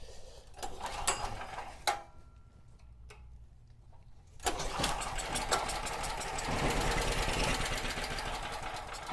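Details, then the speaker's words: Cheap used generator, 38 hours on it, powering a drill press and light at 120 V: engine settles into steady even buzz under load without surging; owner thinks a clogged petcock was the only issue. "Works perfect. Light works. Well, it looks like the thing works perfectly."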